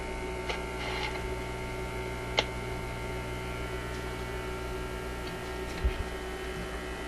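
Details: Zenith Y825 vacuum tube AM/FM radio: a steady low hum with a faint buzz, never varying, while a part hitting the tuning system is cleared; the mains hum source is still not pinned down.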